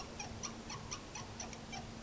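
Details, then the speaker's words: Otto Bach piano, sustain pedal pressed: short high chirping squeaks about four a second as the damper leaf-spring wire rubs its red felt pressure pad; lifting the wire stops the squeak. "You can see those red pressure pads, little sponges, and then you can see the wire resting on it now making that squeaking noise as it moves."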